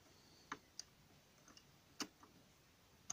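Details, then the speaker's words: Lock of a strongbox safe cabinet being opened by picking: sparse, sharp little clicks a few seconds apart in a quiet room, the lock levers shifting, a good sign. "ce qu'on entend c'est petit clic toujours bon signe les gorges se déplacent"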